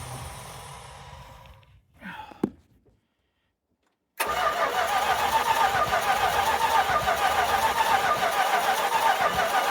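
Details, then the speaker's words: 1978 Dodge D150 being revived, oil checked and power confirmed at the coil: steady, even starter cranking at about three turns a second with no catch or firing. Owner suspects no spark but couldn't confirm; fuel line had a hole. "Well, at least it turns over. It doesn't sound like there's any spark."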